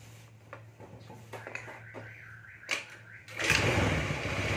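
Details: Carbureted Honda Beat scooter after repair of a broken, dropped starter pinion gear that caused a metallic jingle and no power: steady low idle hum, no jingle, clean rev; runs evenly and normally.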